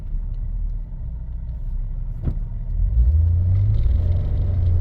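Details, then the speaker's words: 2006 Ford Freestyle automatic under moderate acceleration in first gear: engine revs climb and drone with a pulsing shudder while the car barely pulls; transmission slipping and shuddering, not holding. It drives and shifts fine when driven gently. The car also has a bad wheel bearing. "It's slipping and it's shuddering. So this thing, under any kind of, not even hard acceleration, I would say moderate acceleration, like if you're trying to pull out into traffic, it just starts to slip and shudder, especially in first gear."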